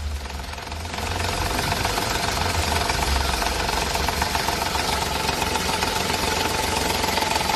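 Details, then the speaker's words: Ford EcoSport 1.5 manual, cold idle: steady metallic clatter about four per second from the gearbox. It stops when the clutch is pressed, returns when released, and only happens cold. "Bueno, escucharon ese ruido. Está raro, ¿verdad? complicado porque se quita cuando pisamos el embrague, se vuelve cuando soltamos el embrague, lo hace solamente en frío."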